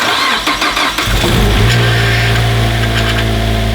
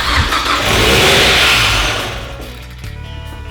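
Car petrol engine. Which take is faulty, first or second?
second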